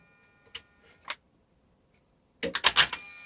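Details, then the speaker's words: Mercedes SL600 slave throttle body bench test after repair, at ignition on: two sharp clicks, a pause, then a quick burst of clicks as both units self-check, one closing, one opening; normal throttle body self-test clicking. "when you put on the ignition you will hear this clicking from both units one will try to close the other one will try to open that's normal behavior that's the way it's supposed to be"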